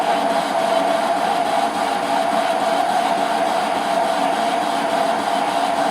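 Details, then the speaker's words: Used parting tool parting off unknown material, likely hydraulic rod, on a lathe; steady hissing cut with a ringing tone that wavers where an earlier hacksaw kerf was started, making the cut intermittent though otherwise smooth. "You can hear it being intermittent. That's where I started to cut it with the hacksaw first and realised my error. But it's cutting quite smoothly."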